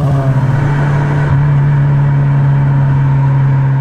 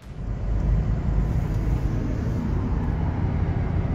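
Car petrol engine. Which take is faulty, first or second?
first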